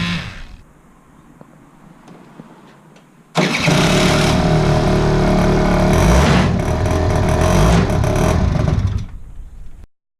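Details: Aprilia SR50 scooter with Polini full motor build, after fitting a custom rebuilt fuel pump with adjustable flow control, cranks then runs loud and ragged about six seconds before cutting out; rough running, fuelling still not right.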